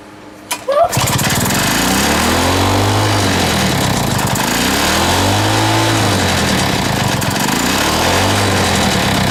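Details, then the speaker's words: Small lawn mower engine just reassembled with a homemade big-end bearing shell catches, then revs hunt up and down about every three seconds; owner hears a leak somewhere, cause not confirmed; engine surging after rebuild. "I ain't running hit runs but it ain't it's not right it's all over the place"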